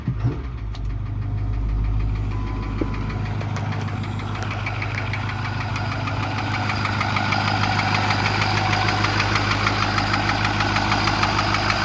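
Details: 2008 Ford F550 6.4L diesel at idle gives a steady, heavy knock of about three beats a second, seeming to come from the passenger side behind the turbo. It does not skip or idle badly; cause unknown.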